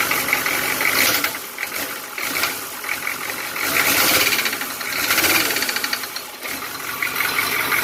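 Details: 6.2L diesel (for an old Suburban), sat unused over 10 years, idling with a loud, sharp rhythmic knock; weak springs or stuck injectors opening below pop-off pressure, effectively advancing injection timing. Confirmed fault: weak/stuck injectors, no rebuild needed.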